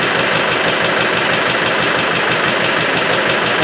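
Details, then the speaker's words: Land Rover Spanish 110 engine, freshly rebored and just reinstalled, first start; rhythmic hissing chuff about twice a second over rough idle, too much back pressure, breather pushing oil and smoking; owner suspects a broken ring, unconfirmed. "there's something at the back you can't quite put the finger on it but there's something worse it's got too much back pressure and i don't know why"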